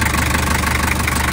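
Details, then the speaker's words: 1984 Toyota Land Cruiser with a 3B diesel, still a bit cold at idle, before adding Sea Foam to the engine oil; steady clatter with a light, quick ticking consistent with valve tapping; the owner thinks it sounds pretty good. "still a bit cold but uh here's the before [Applause] noise which in my opinion sounds pretty good"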